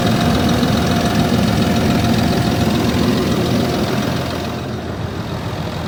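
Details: Land Rover Discovery 3 2.7 TDV6 diesel idling cold: rough, rapid knock over the engine, about three or four knocks a second; engine knocking when cold.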